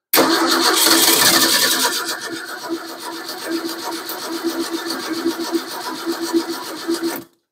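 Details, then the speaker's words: 1953 Ford 4x4 truck, cold start around 38°F with fresh gas just put in the tank, no radiator fitted; even starter chug about four beats a second, cranking without firing while the pump primes, no fuel reaching it yet. "I'm just going to show you that it runs it's going to crank for a bit till the pump works"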